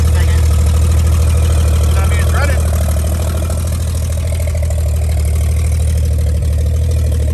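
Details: 1955 Chevy straight-six running from a five-gallon jug after revival: deep even idle, steady low burble, no knocks or misses, idling healthily.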